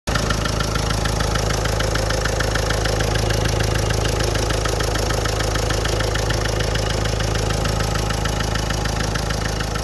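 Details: Nissan Micra idling with a steady, sharp knocking tick roughly three times a second over the hum; engine knocking at idle.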